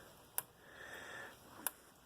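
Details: Repaired Gallagher B280 fence charger on test, full power setting: sharp single ticks about every 1.3 seconds, steady and even, normal pulsing.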